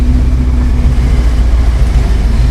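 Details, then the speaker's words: 1966 Ford Early Bronco after Saginaw power steering gear rebuild, some air still in lines, under full steering load: only a steady low engine rumble, no whine, pop or grumble; quiet power steering. "man power steering box rebuild yes that was it yeah now it's all quiet"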